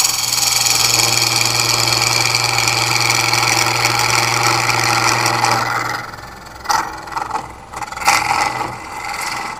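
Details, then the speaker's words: Woodturning a long-stem ambrosia maple goblet cup with a carbide tool held far extended: about six seconds of harsh buzzing ring during the cut, fading as it stops; chatter from the long tool overhang. "still with a carbide tool just because it's convenient handy it's already set up for it and you can hear the vibration from being so far extended"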